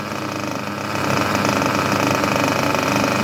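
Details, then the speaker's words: Junkyard Mutt nitro engine on a break-in stand, first start: a steady, even, buzzing low idle with no misses or surging that responds well to the carb and runs clean. "I think she is a good runner. That is a beautiful idle. Responds well to the carb."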